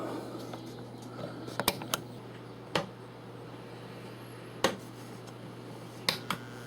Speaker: okay i know it's on now i can hear the transformer hummon turn up a little bit more